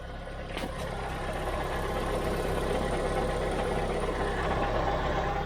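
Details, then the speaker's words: Skoda Fabia 1.2 petrol, 97,000 miles, cold start after a dealer auction purchase (cam belt possibly never changed): even, steady low idle with no knocks, ticks or misses. Normal cold idle. "That sounds all right. For a cold little 1.2."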